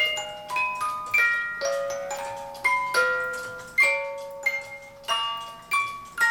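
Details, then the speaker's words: Vintage United ballerina music box clock being refurbished: the tune plucks out unevenly with dragging, hesitant notes as the misaligned cylinder pins push too hard on the comb teeth. "now you can hear that obviously but that's what I consider a struggle and it's pushing too hard on the teeth"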